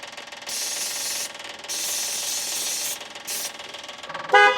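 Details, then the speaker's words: Westfield XI stored for years, cranking attempt on weak battery power after starter fluid was sprayed. Several loud, high-pitched horn blasts of about a second each with short gaps sound instead; the horn works. "Well, there's the horn."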